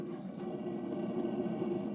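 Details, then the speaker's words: Off-grid setup, background as a 1,500 gal/h water pump is readied to fill a hot tub through 75 ft of hose uphill: soft steady low hum with faint airy rush, identified by the owner as the water heater. "And if you're wondering what that weird sound is in the background, that's my water heater right here."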